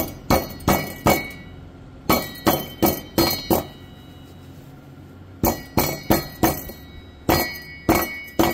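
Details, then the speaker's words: 2016 Chevrolet Tahoe 5.3L V8 with 140,000 miles, no check engine light: glassy clinks in quick bunches when the driver-side catalytic converter is knocked; its substrate is crumbling loose inside; broken catalytic converter rattle. "sounds like part of the cat came apart in there"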